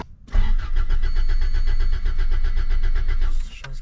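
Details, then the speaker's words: 1987 Toyota Corolla FX16 GTS with a crank-no-start fault, fuel pump given direct power; a suspected kill-switch wire via the defroster relay was later removed: quick, even cranking, then it catches and runs steadily; normal start. "power what's going on man whoa started up nice"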